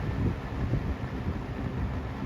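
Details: Lakewood P-223 fan (1987/1988) after degreasing to fix oil problems, on medium: soft steady low whoosh of air, even hum, no ticking or rattle; normal running on medium.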